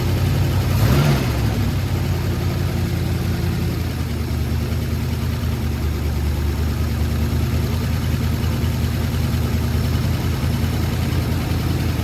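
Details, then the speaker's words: Ford Sunliner after new starter and carb cleaning, fresh start: steady low idle with faint puffing chuff on each firing pulse; really bad exhaust leak at front pipe joint, black soot, to be resealed with high-temp gasket maker. "Got a really bad exhaust leak right here. So that's something we'll have to take care of."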